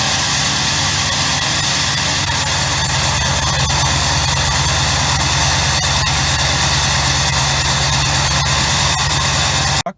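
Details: 1999 Ford F-350 7.3 Powerstroke diesel with new MBRP 5" turbo-back exhaust, at high idle after cold start around 25 degrees: steady clatter with constant high-pitched turbo scream; normal turbo whistle at high idle.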